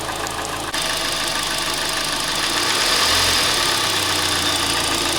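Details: Hyundai i40 / Kia Sportage 2.0 G4NA (G4KD) engine at steady idle: light, regular tapping about three times a second over a hissy top end; knock from scored cylinders found by endoscopy.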